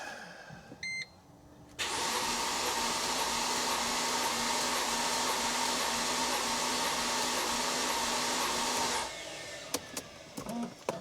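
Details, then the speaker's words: 2005 Mercedes SLK350, roughly 220k+ miles, cranking for compression gauge test: steady even starter whir about seven seconds, slow light beat, no firing; compression low on all six cylinders. "but it just seems so low I mean the engine does have 267 trillion miles on her I don't know 220 something maybe I don't remember um but that just to me seems like low compression everywhere"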